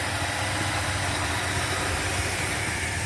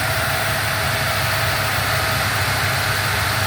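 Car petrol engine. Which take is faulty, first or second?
second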